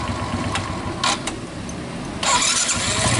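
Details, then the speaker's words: Suzuki Smash motorcycle after spacing the starter so its gear no longer rubs the crankcase: short clean cranking, then it catches and runs steadily; the earlier grinding is gone, though the starter motor is heavy and should be replaced. "Nah, suaranya pun sudah hilang seperti yang pertama kita bikin video, karena pertama tadi yang bunyi itu bunyi penyenggolan di crankcase teman-teman itu."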